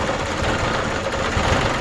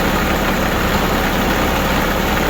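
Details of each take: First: New Holland Boomer TC25D diesel tractor after installing a fuel filter (water and debris found in bowl); runs rough, labouring and dipping, then stalls; air in fuel system, fixed by bleeding at the filter bolt. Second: New Holland Boomer TC25D diesel tractor after fuel filter install and bleeding air from the fuel system: steady, even idle with a smooth low rumble and no misses, surges or knocks.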